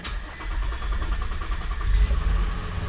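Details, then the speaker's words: 2020 Infiniti QX60 3.5 L, cylinder 2 misfire (P0302) traced to a bad fuel injector, started after repair: short crank, then clean catch into a smooth, steady idle with no stumble or miss; no fuel leaks, sounds healthy. "okay we've started it so far feels good let it warm up a little bit let it idle down and uh let see what we've got everything sounds good I don't see no leaks anywhere no fuel leaks so far it sounds good"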